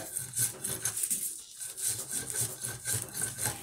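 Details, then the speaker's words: Wheel bearing turned slowly by hand with the wheel removed gives an ugly, dry, gritty scraping rasp pulsing about twice a second; the bearing is worn out and needs replacing. "Se oye muy feo porque El balero ya está descompuesto"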